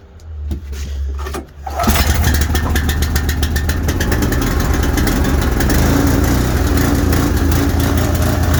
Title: Rough idle